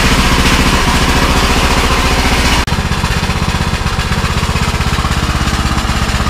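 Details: Custom-built Troy-Bilt riding lawnmower, bought on Marketplace, running outside in park: even, steady thumping beat about four a second with no misses or knocks; engine runs cleanly and sounds healthy.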